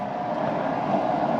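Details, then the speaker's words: Newly installed inline exhaust fan, on its new switched power circuit, being tested for airflow: steady, even airy hum with a faint constant tone, no vibration, wobble or rattle; it runs smoothly and pulls air out well. "So I can hear it. No vibration."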